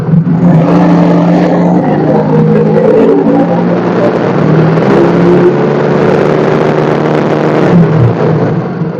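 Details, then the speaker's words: Yamaha Mio J scooter with a weak-starter complaint, battery just recharged. The engine revs smoothly as throttle is added, with no rattles or misfires. Charging voltage reads 14.24 V and keeps climbing with throttle toward about 14.38 V, so the charging system is working. "kita tes pengisiannya saat itu sudah diangka 14,2425 volt artinya ada pengisiannya kita tambah gas angkanya naik terus"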